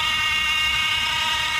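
A steady high whir sits over a quiet engine with little low rumble; that whirring comes from a noisy electronic thermostat.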